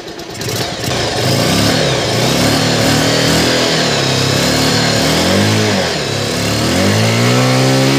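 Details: R-180 motorcycle after replacing busted pulser coil and neutral sensor O-ring that caused hard starting and no electrical power: catches quickly, even single-cylinder beat with light throttle blips; running cleanly.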